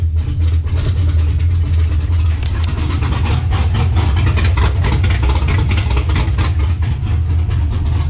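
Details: LS-swapped Monte Carlo V8 with big cam on ACES Jackpot EFI, first start during initial setup with oil pressure: deep, loping idle with uneven chop, steady and strong; healthy lumpy cammed idle.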